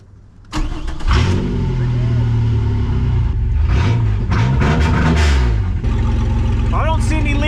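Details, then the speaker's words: V6 Camaro race-car project, first start after refitting the gas tank and priming the fuel pump, no exhaust past the Y-pipe and cat: cranks, catches quickly and settles into a steady, even idle with no knocks; normal start and idle. "By the way, this has got no exhaust on it. It's just got the uh off the Ypipe. She sounds like a piece of crap six-cylinder."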